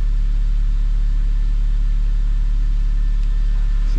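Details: 2009 BMW E87 118i N46 Valvetronic, after replacing Valvetronic motor and eccentric shaft sensor for rough running, stalling and fault 2851: steady, even low idle, no misfire or hunting. Normal idle after repair.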